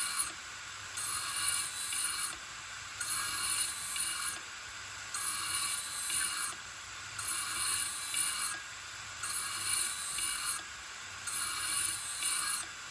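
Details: Old Toshiba 3.5-inch desktop hard drive with mechanical failure, lid removed: hissing whir with bright clunk about every two seconds repeating endlessly as actuator continuously seeks data; click of death.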